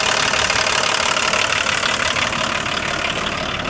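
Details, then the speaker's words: Diesel car with a six-wire engine, started after sitting a while. Even clatter of about three knocks a second, steady and settling slightly, relatively happy. Normal idle. "oh it does that that's good oh it tends to be relatively happy"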